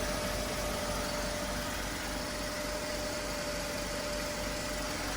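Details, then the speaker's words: Mercedes W124 started after sitting six weeks, cold idle: smooth idle under a steady airy hiss and faint constant whine of the secondary air pump, which works as it should until the engine warms up; all normal. "and the air pump is working as it should as well until the engine warms up anyway"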